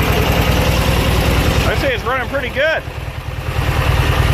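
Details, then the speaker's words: Junkyard Briggs & Stratton opposed-twin engine with a breather issue: steady even firing at high throttle with no misses or knocks, running healthy. "but yeah it sounds good see most of the scariness goes away when you push the carts in so yeah it's throttled up here Mike"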